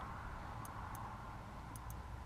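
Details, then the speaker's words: Volvo 240 throttle position sensor adjustment with an Allen key: faint sharp clicks over a quiet low hum as the throttle just cracks open; the switch clicks at minimal throttle opening, as it should. "And you just rotate it until when you turn this, you hear it click. Then tighten it up. Now I loosened up and turned it just a hair. And turn my throttle, and you'll hear it click."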